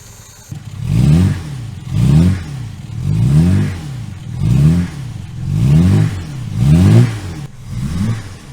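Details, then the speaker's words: 1963 Jaguar Mk2 under restoration, started after sitting, warmed 5–10 minutes then taken off the choke: seven clean throttle blips about one a second, rising and falling smoothly without misfire; revs out normally. "And then we can take it off the choke, make sure it's revving out and not fouling up the plugs."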